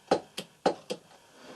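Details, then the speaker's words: Chery QQ fuel pump removed from the car, which suddenly stopped starting, fed directly from a 12 V battery, tried in both polarities: sharp paired clicks each time power is applied, no steady whir; pump motor jerks but never spins up. "Nó cố khởi động nhưng không khởi động được. Đảo ngược cực và điều tương tự"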